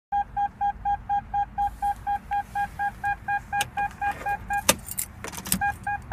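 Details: 2002 Toyota Tacoma 2.7 automatic with a four-year-old battery won't turn over after a fuel stop and shows no check engine lights: fast steady beeping about twice a second with no starter click or cranking; cause not yet found.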